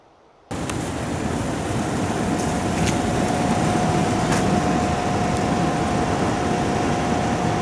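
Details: Hitachi Yutaki S 14 kW heat pump outdoor unit (RAS-5WHVNP) recorded close up: steady normal compressor hum, fan rush and a thin constant tone.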